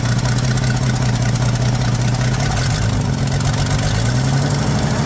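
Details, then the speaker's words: 1979 Ford F150 shortbed 4x4, 300 straight six with new carburetor, started after sitting 4 years: loud rough idle with uneven low puffing in the rumble; owner says it clearly has an exhaust leak somewhere. "clearly has an exhaust Le"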